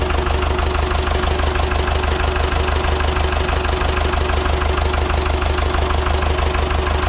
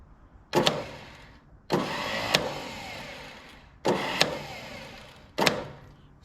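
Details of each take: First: Ford 6600 diesel tractor, sitting about 8 years, just started after starting-fluid spray bursts while cranking; low on antifreeze so run briefly, some smoke. Even diesel clatter at steady idle, regular firing, no misses or knocks: normal idle. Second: Ford 6600 tractor, about 850 hours, sat about 8 years: four short bursts of high whirring without the engine turning over; starter spinning freely, suspected stripped starter teeth, not confirmed.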